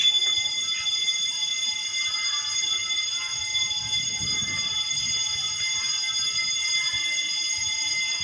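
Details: Building fire alarm panel sounding after power returned from a blackout: continuous shrill electronic tone, steady and unbroken. Owner suspects the panel shows a battery fault and the problem is in the wiring; cause not confirmed.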